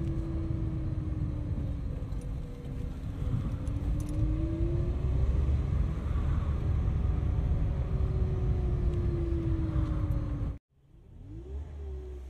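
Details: Great Wall Florid 1.5 VVT: whine rising and falling with engine revs over the rumble; some suggest the pump, possible cause low oil in the gearbox ('la boîte'), not confirmed.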